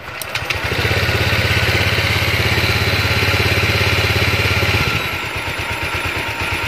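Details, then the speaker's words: Honda Vario 125 ESP scooter after repairing the idle air valve sensor that caused a high idle: steady, even idle thump that settles smoothly after a couple of blips; idle drops properly again, normal idle. "Oke ternyata sudah kembali normal ya di RPM sudah lamsam sudah mau turun ya"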